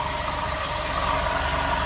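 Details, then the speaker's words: Car at idle whose alternator had been replaced on a misdiagnosis: steady low growl under an even idle, doesn't sound like the alternator, seemingly from belt-driven accessories at the engine front; cause suspected, not confirmed. "listen to that I don't feel growling coming from this thing I can sense it's coming from here somebody misdiagnose this car"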